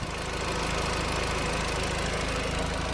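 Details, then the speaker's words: Audi TT 1.8T after rocker (valve) cover gasket and half-moon gasket replacement for an oil leak: even, steady idle with a smooth regular pulse and no knock, ticking or vacuum hiss; the repair is holding dry; normal idle. "okay so it's all started up now all sounds good all looks dry just gotta do a bit of a clean up down here"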